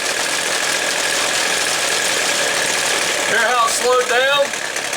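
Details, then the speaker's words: Weed Eater two-stroke trimmer: engine buzzing high and steady, then bogging and wavering as the low-speed jet is opened until it stutters from a too-rich mixture, before backing it off until it clears. "i'm going to turn it open until it starts to stutter a little bit and then i'm going to back it off just till it starts to clear up"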